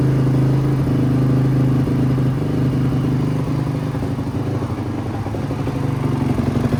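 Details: 2005 Honda CRF450R single-cylinder with choke on, started after repairing a locked-up transmission and an oil leak: a fast, even idle with light mechanical clatter and no knocks or misses. Runs normally.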